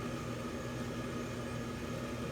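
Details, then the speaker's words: Constant electrical buzz with a low hum and a thin higher tone alongside the normal fan whoosh, present ever since the owner got the unit; a buzzing fan motor is suspected but not confirmed. "I notice that this makes like a buzzing sound and I actually noticed this sound ever since I got it"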